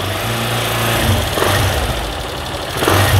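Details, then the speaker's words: Honda CG 160 single with reground (reduced) camshaft, mic close to engine at idle then blipped: busy mechanical valvetrain clatter, considered acceptable for a tuned engine but customer wants it quieter; before fitting new cam. "é galera tá fazendo barulho mas dentro da preparação esse barulho é aceitável mas é um cliente que não quer esse barulho"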